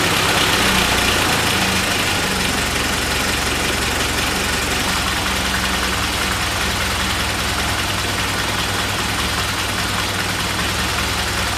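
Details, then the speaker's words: Engine started cold after oil and filter change, low compression issue: loud, uneven lumpy idle about two to three beats per second; rough idle, owner suspects failing fuel pump and fuel delivery. "still running kind of rough all that yellow fire definitely you know I believe that's probably still because of the pump and the fuel delivery"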